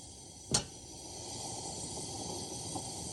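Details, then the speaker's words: Repaired 1952 Coleman 252 pressure lantern, gas leak fixed, on a junky size 21 mantle: sharp whoosh-pop from the flame, then a steady pressurised hiss continues. Still fireballing; the mantle needs swapping. "Still fireballing. That is wild. That was a junky manel anyway, but I probably shouldn't have used it."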